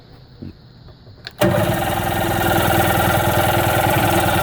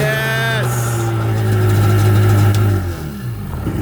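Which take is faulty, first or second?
first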